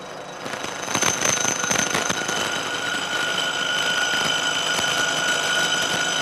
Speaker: along here this cut was proceeding pretty well but as we get out towards the end of the part this cantilevered out of the jaws you can hear more and more vibration and you can imagine that that gets worse and worse as the part gets longer and longer